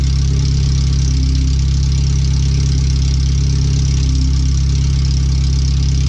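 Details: First startup after replacing the header, fuel filter and differential bushings and seals, with O2 sensors moved and no exhaust fitted past the header; the computer read 5-7% rich. A deep, very loud, steady idle with a raw low rumble and no muffling; open header, far too loud.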